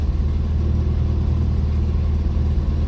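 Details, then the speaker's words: 1966 or 1967 Lancia Flaminia GTL 2.8 3C Touring, neither warm nor cold, started without choke: even settled low rumble at steady idle, no misses, knocks or hunting; normal idle. "It's not warm. It's not cold either. But it does start beautifully. No issues, hot or cold. Listen to this. And then just idles"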